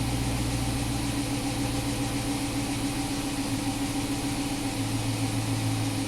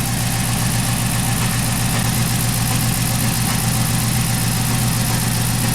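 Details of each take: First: 2011 Chrysler 300 after cam and cylinder head work and a P0300 misfire repair. It idles smooth and even with no stumble, both banks now in closed loop with normal fuel trims, running far better than before. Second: 2011 Chrysler 300 after cam and both heads were replaced, with a shaky engine and P0300 code: low, lumpy idle with an uneven pulse a bit under two per second. Misfire traced to faulty oxygen sensors, not ignition.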